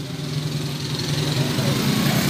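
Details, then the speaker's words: Smash 115 motorcycle after replacing connecting rod and two side bearings and reworking clutch shoe: previously noisy and shaking like a helicopter, now a quiet steady low hum with gently rising idle, no knocking; normal idle. "Tahimik na rin yung makina niya mga kabro. Hindi na kagaya nung kwan na parang helicopter yan. Maingay, manginig pa."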